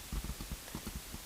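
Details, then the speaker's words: Nissan Sentra radio removed and installed without a wiring harness: touching the tester to the rear right passenger-side speaker wire pair gives soft irregular pops, showing that speaker and its wiring work. "And soon as I put it in, you should hear a popping sound. I'm not sure if you can hear it, but it's popping right now."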